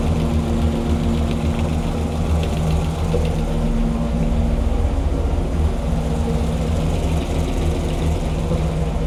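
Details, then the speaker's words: Hemi V8 rebuilt after a defective part, on the dyno with timing around 34°: deep, even lope at steady idle with no ticking or tapping from the top end; lifters quiet, normal idle. "okay SC the lifters it's good it's it sounds good yeah it's quiet"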